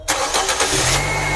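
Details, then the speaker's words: Warm engine started to check for head or block warpage or blown gasket (coolant spurting at start): quick crank and catch, settles into a smooth, steady idle with no stumble; normal engine start. "Oh, normal. Normal ya?"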